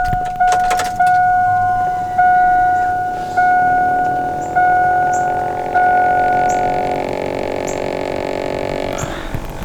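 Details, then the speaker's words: 2002 Chevy Avalanche Z71 V8, key on: small speaker-like part gives a steady electrical buzz with rising spooling tone and repeated pulses whenever key is on; source and cause unknown. "what is this little speaker and why is it buzzing whenever the key is on it sounds like something's spooling up in there listen"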